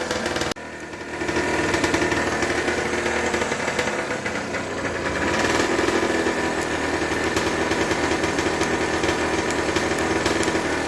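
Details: Aprilia SX50 two-stroke just fitted with a new battery, dash now working properly: light buzzy idle with some unevenness but no knocking or rattles; the engine sounds fine.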